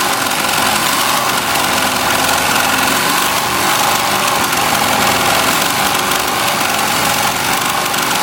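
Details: Melco Summit embroidery machine stitching a jacket logo, shown running up toward its 1500 stitches-per-minute maximum: fast, even, high-pitched chatter at steady loudness, no stumbles or knocks; running cleanly.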